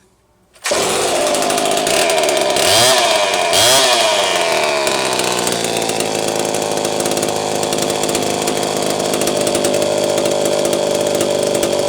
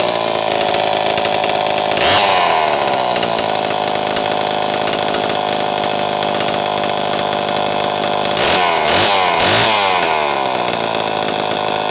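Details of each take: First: Homelite Super 1130G chainsaw after spark plug wire trimmed about 1/4 inch and sleeved: fires up, brief blip of revs, then a steady even high buzz, running clean; old condenser no longer thought bad. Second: Homelite Super 1130G chainsaw after out-of-spec condenser swap and helicoil: screams at high revs, stumbles and sags twice, then dies abruptly, losing spark; fault traced to the spark plug wire.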